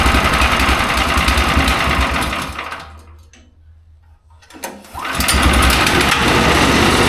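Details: Mech Maxx SM-22 sawmill's small engine on its first start, after firing on the first pull. Quick, even chatter briefly fades then returns just as steady; running normally.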